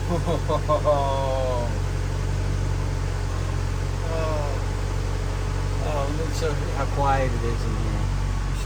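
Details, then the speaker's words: 1995 Acura Integra GSR at idle, heard inside the cabin after worn motor mounts were replaced with new ones. A worn bushing had caused heavy vibration and dash rattle; now only a low, smooth, steady engine hum with no rattles or buzzing. "this door super quiet to me this was like the rattle rocket for a while"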